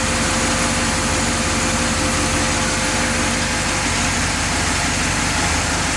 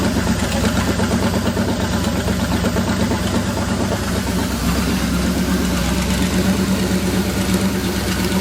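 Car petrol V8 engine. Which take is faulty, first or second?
second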